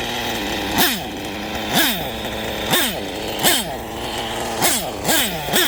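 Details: LRP nitro engine after exhaust leak fix, tune still being adjusted: blipped about once a second, each rev climbing and falling cleanly with no puffing or spitting; running healthy, normal running.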